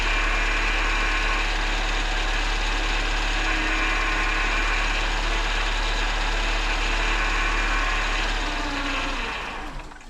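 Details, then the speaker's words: 1998 Mercedes C230 (W202), sat since 2018, with MAP sensor code, fuel sender and EVAP codes, cylinder 4 misfire code not returning: slightly uneven, lumpy idle under a steady hum before shutting off; rough idle. "rough I mean she's not running great at idle but it's idling"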